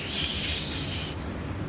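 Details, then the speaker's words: Audi B5 wagon AEB turbo engine just fitted with a Precision 6169E turbo replacing a Turbonetics 5758, exhaust and wastegate still being welded; a thin high whistle over the running engine for about a second from the other wastegate. "And you can hear the other wastegate just whistling like"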